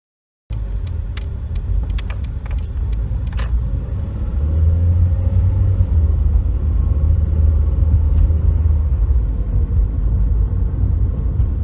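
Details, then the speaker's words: 2007 Toyota Corolla S driving, recorded at the steering yoke a year after replacing the damaged yoke that caused knocking when steering: steady low road rumble, steering quiet and smooth, no knocks or clunks. "Yeah, after a year, the steering still operates quietly and very smoothly, and we never heard any knocking sound anymore after I changed the steering lock."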